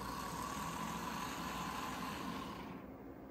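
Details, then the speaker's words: Model locomotive from train show, lightly greased, run with lid on before DCC conversion: quiet steady motor whir with light regular tick about four per second; running freely and evenly, needs more running in. "added a little bit of Grease too give some power just needs a bit of a running around the track I think and then it'll be good for a DCC"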